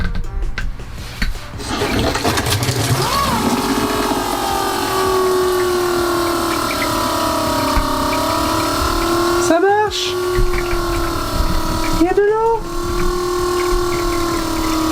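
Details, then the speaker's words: Newly replaced water pump in a 4x4 heavy-truck camper van, running with a tap open: a steady mid-pitched motor hum and rushing water that dips briefly as flow changes; it works properly, just a bit loud. "Alors du coup, et vous voyez en fait, la pompe c'est elle qu'on entend. Alors, vous allez me dire, ouais, ça fait du bruit tout ça. C'est vrai que ça fait du bruit."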